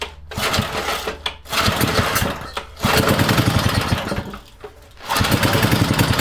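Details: Freshly rebuilt vintage Briggs & Stratton single, first bench run before fitting to the mini bike frame to break in the crankshaft: rapid popping with brief dips as the throttle moves, then it picks back up and runs on its own.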